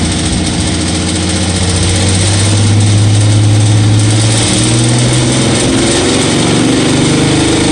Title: Ticking sound 2012 mustang 3.7